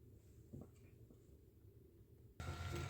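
Near silence and a few handling clicks, then a steady airy hum with a low drone switches on and runs evenly. The concentrator is working normally.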